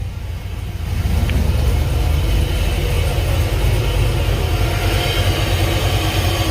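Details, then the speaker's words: Cammed 6.0 LS with Edelbrock Pro-Flo 4 EFI in an 85 Chevy K20, first start: deep V8 rumble with even cam lope and no leaks. Normal cammed idle. "It just runs great. No leaks."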